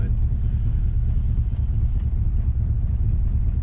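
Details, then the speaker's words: 1984 Camaro Z28, L69 HO 305 V8, 700R4, while driving: heavy steady low rumble, loud and raw like gas escaping before the muffler; really bad exhaust leak. "Definitely a really bad exhaust leak and uh so I got to deal with that."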